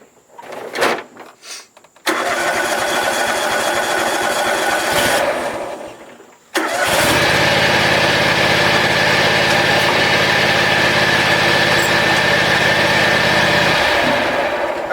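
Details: John Deere X540 mower, crank-no-start with no spark after sitting about a year, after replacing two failed ignition coils: short cranking bursts, then the twin catches and settles into a steady, even idle without misses before shutting down.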